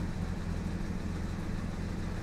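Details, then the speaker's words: Jaguar XJ6 Series 3 six-cylinder petrol engine, customer car that almost stalls at red lights; after settling it has the typical lumpy, uneven idle, only slightly better after trying a different coil, so ignition is suspected as part of the cause. Rough idle, misfire. "and then when it settles down there it does have that typical uneven Idol"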